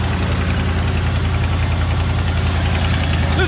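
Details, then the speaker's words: 1967/68 Ford F100 V8 with rebuilt carburetor, idling for the first time in 17 years, two holes in the muffler: steady even low rumble, no knocks or misses, no smoke; normal idle. "that truck y'all look at that beauty she is idling two holes in the muffler look at there hey y'all look at that"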